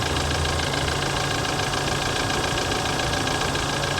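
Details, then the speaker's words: 2008 Humvee at idle, not a diesel: steady idle with fast, uneven light rattle of three to four taps a second under the hood, turbo audible; sounds diesel-like, possibly direct injection; source unclear. "I hear the turbo for sure definitely hear the turbo it's rattling under the hood but not like direct injection to me it sounds like it's uh sounds like a diesel"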